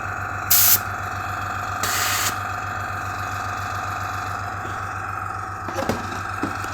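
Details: AS196 airbrush compressor before repair, 30 psi set, filling to full pressure with airbrush disconnected (auto start 3 bar, stop 4 bar); steady low motor hum with thin tone and brief hisses; pumping normally.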